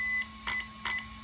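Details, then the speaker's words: HW EZRUN SC8 RTR 120A ESC in a JLB Cheetah, programming punch level via onboard button: one long high beep followed by three short beeps under half a second apart, confirming punch level eight. "that's level eight that's level nine oh yeah maximum power"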